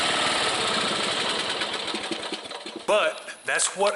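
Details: Small single-cylinder mower engine that wouldn't start because of a carbon-fouled, shorted spark plug, restarted: steady, even firing pulses, no misses or sputter; normal running.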